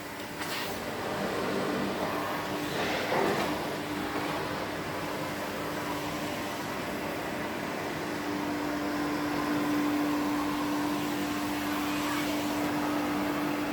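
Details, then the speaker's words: 1972 Electrolux Z310 cylinder vacuum after cleaning very dirty fans and lubricating, formerly very noisy: smooth, even, steady mid-pitched motor hum with no rattle or scraping; normal running. "So we'll give her a quick run around just so you can hear how quiet the motor is."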